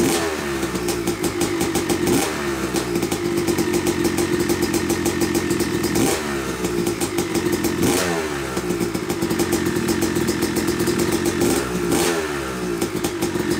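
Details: Yamaha YZ250 two-stroke (270cc/250cc) motocross bike, first start after a full engine rebuild (bottom end, transmission, bearings, clutch, power valve), took a few kicks: crisp crackle with throttle blips every couple of seconds, revs rising and falling cleanly; smoke from assembly oils normal; runs normally.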